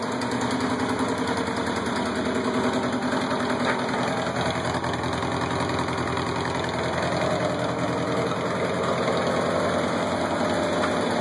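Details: Stock Kawasaki KZ750 LTD motorcycle with saddlebags idling steadily, sharp puffing tick on each firing pulse from a small exhaust leak at the headers.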